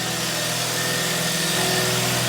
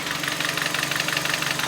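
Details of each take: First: Hyundai i30, 195,000 km, after full engine overhaul for heavy knock, diesel-like running and oil use: steady, even idle with smooth low hum, no knocking or ticking; earlier noise gone. Normal idle. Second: Hyundai i30 at about 195,000 km on odometer, burning oil: hard, fast, even knocking rattling over the idle like a diesel, worn pistons slapping and rod bearings knocking; full engine rebuild needed; piston slap and rod bearing knock.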